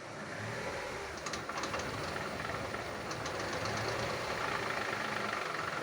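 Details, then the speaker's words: Chevrolet front wheel spinning on lift: rapid uneven clatter, not bearing hum; play found in joint, wheel slightly wobbly; suspected worn inner CV joint, same clatter as when driving straight. "Мне кажется, что это похоже именно на внутренний шрус. Да, да, да. И и цокот у него такой же, как когда по прямой едешь."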